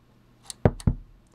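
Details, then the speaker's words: Kinter MA-170 stereo amplifier powered by a regulated supply over 14 volts: a faint click, then two heavy low thumps about a quarter second apart at switch-on, absent on the next power-up; a power-on thump, cause unknown. "there's kind of a big clunk when you turn it on but it has a little glowy ring color changing LED in there"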